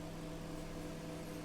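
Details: BGH microwave heating a cup of water, its fault an open high-voltage diode: an even low mains hum with a steady fan whir and no buzzing; it now heats normally.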